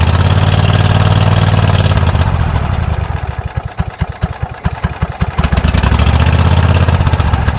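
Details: Kohler 7000 Series engine on a Troy-Bilt zero-turn mower after carburetor replacement (gas had been found in the oil): steady idle slows to separate pulses then smooths to an even idle; idle screw adjusted, still slightly high.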